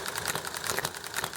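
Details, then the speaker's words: Enjomor hit-and-miss model engine: sharp, uneven pops with gaps, firing only when it slows to about 1200 rpm, then spinning up to about 2000 rpm before coasting. Normal hit-and-miss running, heard over background highway noise and chatting. "uh so it's slowing down to about 1200 rpm before it fires again and then it spins all the way up to about 2 000 rpm well you hear it popping and how it's uneven"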